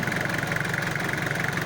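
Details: 4DR5 old-model diesel with transmission, air cleaner fitted: steady, evenly pulsing idle with regular beat, no miss or hunting, shown with no smoke or blow-by; normal idle.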